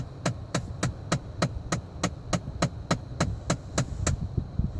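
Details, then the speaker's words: 2014 Ford Fiesta, ignition on, clicking behind the dash when the floor airflow button is switched off: sharp clicks three to four a second over the fan hum; suspected blend door actuator, going to the dealer. "heard that this is bland door actuator motor basically what it controls it controls the mixture of the air from the outside to the inside"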